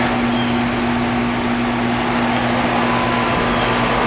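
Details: 2020 Comfortmaker gas pack, 2010 EverRest heat pump and 2014 Mitsubishi mini split running in cool mode. A steady fan rush over a constant low compressor hum with no knocks; the outdoor unit runs normally.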